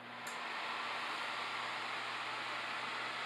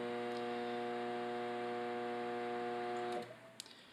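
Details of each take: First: Samsung microwave after a magnetron replacement, heating a cup of water for 30 seconds: a smooth, even fan whoosh with no buzzing, and the water warms. Repair successful and running normally. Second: Samsung combination microwave and oven on a 30-second microwave run: loud steady mains-pitched buzz with stacked tones, then it stops; it powers up and the turntable works but nothing heats; failed magnetron.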